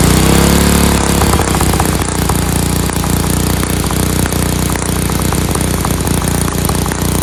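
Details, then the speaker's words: Free Dayton lawn tractor with an 11 horsepower Briggs engine, started on choke; push-start button unreliable: starter whirs, single catches and settles into a steady, even fast idle with no misses, sounds like a hot rod; normal running. "Thing's great. Sounds like a hot rod. Fantastic."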